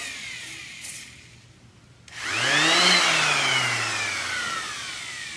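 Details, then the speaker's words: DeWalt variable-speed orbital sander, owned a long time, with a broken drive band: motor whines up quickly then slowly coasts down with a falling tone and no pad load; pad not driven, won't sand. Fix is replacing the band. "It won't sand. It gets kind of messed up. It was making a worse noise than that"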